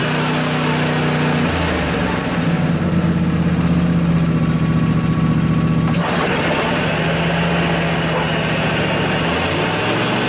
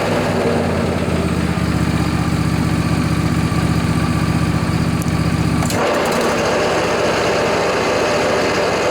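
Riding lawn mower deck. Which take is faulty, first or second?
second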